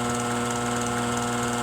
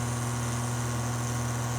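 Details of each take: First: Furnace blower motor bench-run on a wood/metal table at high speed: steady loud hum with several fixed tones and a faint rough rattle, noisier than medium; worn blower motor bearings. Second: Furnace blower motor, long-sitting stiff motor: smooth even low hum with no rattle, scraping or wobble on medium and high speed while low speed struggles to start; normal running.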